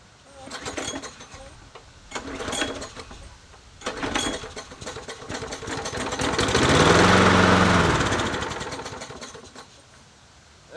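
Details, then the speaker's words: Free Bolens 22-inch push mower, 4.5hp Quantum primer-bulb engine, listed as non-runner: several pulls with brief catches, then a few seconds of rough running that fades out after starting fluid; carburetor issue confirmed, owner may clean carburetor. "all right so we know it's a carburetor issue now"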